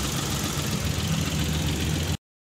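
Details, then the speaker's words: Daihatsu Hijet three-cylinder after repair for misfire, check light and lack of power: steady, even idle with a constant low throb and no skipping. The misfire and vibration are gone; normal idle. "गाड़ी start हो गया set हो गई गाड़ी के अंदर जो missing ए रही थी वो भी देख सकता है खत्म हो गई वाइब्रेशन वगैरा"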